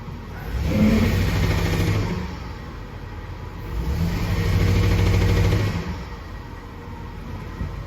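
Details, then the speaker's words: Ford truck misfire: two throttle blips with a ragged, uneven beat from a dead cylinder; number 4 still misses after moving its coil to number 1, so number 4 spark plug is also bad. "Why is number 4 still missing? I moved it, maybe the plug's bad on number 4 too."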